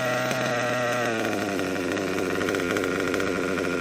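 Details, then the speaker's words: Kyosho KE25 Big Block nitro engine, pinch test after leaning low-speed needle slightly: high buzzy idle climbs in pitch when fuel line pinched and stays up; low-speed needle still a little too rich. "Alright, I didn't want to kill it this time, but I can tell it's still a little too rich because it wanted to rev up a little higher like that."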